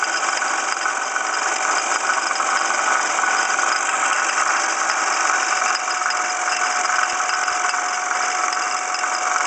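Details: 1995 Ford Escort, passenger-side fender accident, alternator replaced: steady metallic rattle from the passenger side of the engine at idle; belts checked fine, and the cause was the damaged water pump pulley.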